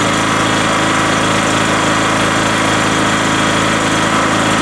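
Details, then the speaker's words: Rotakt petrol generator just after its first easy start, choke at run, no load, voltmeter reading 232 V while warming up: steady, even small-engine buzz at constant speed with no misses or knocks, a healthy normal idle. "so that was the first start I did not expect to start it so easy so it will warm up a little and come back with a test"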